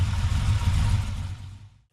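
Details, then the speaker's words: Holden VX SS Commodore V8 with fully rebuilt engine, big cam, idling just after its first test drive before leak checks: deep even burble about a second then fades, steady beat, no knocks, misses or ticking; normal idle. "I just want to let it idle check belaks and things like that but man that thing absolutely rips I'm so pleased with that it sounds amazing"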